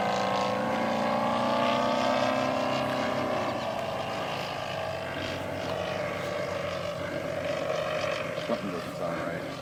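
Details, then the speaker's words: 50% scale Vogelsang Aeroscale Bucker Jungmeister RC aircraft in flight: engine drone sags and wavers in pitch with uneven beat, then quits on its own; something came loose. "Something came loose. You don't suppose my weight come loose."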